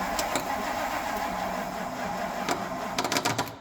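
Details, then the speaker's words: Classic Ford, first start attempt in years on a jump pack with no choke: the starter grinds the engine over very slowly with a few uneven chuffs but it never catches. It is left to cool between tries; slow crank, no start. "oh she is ornery that's not a good sign I'm going to let this starter cool for a moment here you know this thing is cranking over really slow and we are slapping it with a ton of amps the battery"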